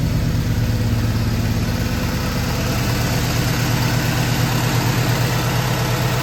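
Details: 1965 Ford Galaxie 500 390ci V8 with new Holley Sniper EFI in basic closed-loop learn mode; low, steady rumble at about 600 rpm, even beat, no misfires or ticks; smooth normal idle.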